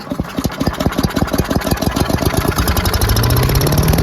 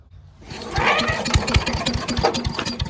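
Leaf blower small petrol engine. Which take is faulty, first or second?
second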